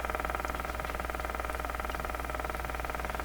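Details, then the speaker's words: Westinghouse 636 shortwave radio during alignment with sweep generator and SDR: steady putt-putt ticking about four pulses a second over the hiss, like an old gasoline engine; outside interference, source not found, possibly house wiring. "What could produce sound like that? It sounds like a old gasoline engine."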